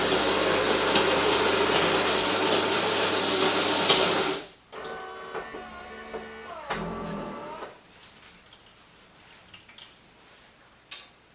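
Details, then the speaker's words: Bosch TES50129RW bean-to-cup coffee machine grinding beans for a coffee; loud even whirring grind about four seconds, stopping cleanly into quiet clicks, a little loud but quieter than other machines; normal grinder. "now as you can hear the grinding beans is a little loud what I would say is that personal experience is that it's not as loud as other machines"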